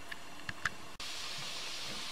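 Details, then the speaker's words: Steam sterilizer heating with the vent valve open and pressure at zero. A few light clicks, then a steady hiss as steam first appears and spits water droplets; normal air-purge venting, about five minutes recommended before closing the valve. "now steam is appearing at the valve you can hear the hissing you can see some droplets of water being expelled by the steam pressure"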